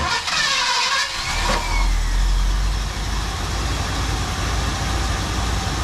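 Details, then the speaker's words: 1974 Ford Bronco after replacing both fuel tank sending units and cleaning up, with strong carburetor squirt restored: cranks briefly, catches cleanly and settles into a smooth, steady low idle with no knocks. Normal start and idle. "Just running great. What a nice running rig, huh?"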